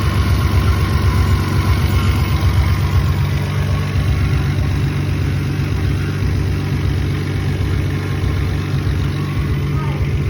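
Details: Toyota 7M-GE engine idling rough: low, uneven idle with a loping, irregular beat of about one and a half pulses per second.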